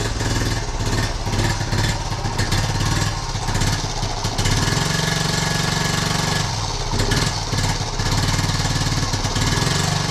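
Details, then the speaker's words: 1976 Honda Z50J1 Monkey, started cold after a couple of weeks unused on half choke: it chugs unevenly, pops, splutters and backfires through the carb, with the beat sagging as if about to stall; rough running. "It pops and splutters a bit and it backfires through the carb. That's it. I've not started this for a couple of weeks. And it just wants to die as well."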